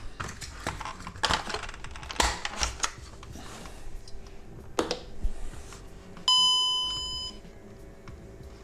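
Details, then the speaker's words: VW Golf 5 instrument cluster (also Caddy, Eos, Tiguan, Touran) after repairing the dead warning/light buzzer speaker, plugged in for testing: clean ringing gong chime slowly dies away; warning buzzer and display work. "So warning buzzer works, display also works, as we just saw."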